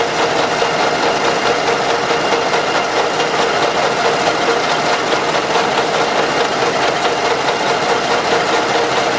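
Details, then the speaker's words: Engine with sludge from infrequent or poor oil changes and heavy blow-by, owner reported a strong knock; steady light metallic tapping about two per second that stops when the camshaft is pressed with a hammer handle; camshaft axial end-play knock. "сейчас проверяем осевое смещение распредвала он тоже бывает стигма так стучит звука этот мы уже знаем как определить"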